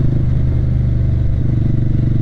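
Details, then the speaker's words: Motorcycle at full throttle: steady drone, then the firing note shifts and softens as power fades and it stalls; it ran out of gas and restarted on reserve. "what's going on I'm losing power my out of gas 63 something's weird something's weird it's stalled it's stalled"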